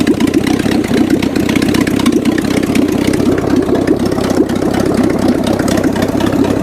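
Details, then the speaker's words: 1979 GMC Heavy-Half with a scrapped 350 small-block V8 with new heads, after a further timing adjustment, charging just under 13 volts on a very hot, humid day; a steady, even low rumble with no misses or knocks; normal idle. "But a trashed scrapped engine runs and actually sounds very good."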